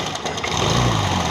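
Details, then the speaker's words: Hero Maestro Edge scooter first start after full engine rebuild and carburettor cleaning, head cover off to check oil reaching the head: steady, even idle with a smooth low pulse, no knocks or rattles; oil flowing. "तो दोस्तों finally bike हमारी start हो चुकी है।"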